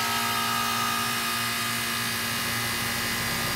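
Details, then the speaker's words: Older heat pump condenser: steady loud hum with whooshing fan rush at startup; significantly noisier compressor and top fan than the new replacement. "can tell right off the bat it is significantly noisier there's a lot more compressor noise and some whooshing that happens at startup as well as the fan that's on top is significantly noisier"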